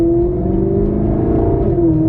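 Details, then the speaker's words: 2018 Maserati GranTurismo with replacement 4.7 L V8 after blown engine, first test drive, sport mode: smooth even V8 note pulling cleanly under light throttle, no knocks, ticks or misses; normal acceleration. "oh yeah heck yeah we're back baby"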